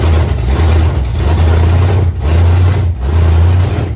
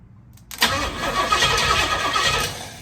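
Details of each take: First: 1968 Pontiac Firebird V8, sat for years, running again with a deep, steady rumble, slight speed swells and no knocks or misses; oil is at the add mark. Normal running. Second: 1968 Pontiac Firebird, first start attempt after project work; starter cranks unevenly for about two seconds, then winds down without firing. Bad starter ground connection was just moved, fuel is reaching the carb, and owner suspects timing may be off. Cranks but won't start.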